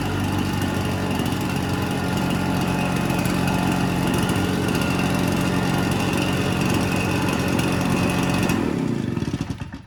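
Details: Red Max EBZ7100 commercial two-stroke backpack blower, rescued from the dump with its missing fuel lines replaced and carburetor repaired. An even, buzzy drone holds steady speed for about eight seconds, then cuts off; runs clean and healthy.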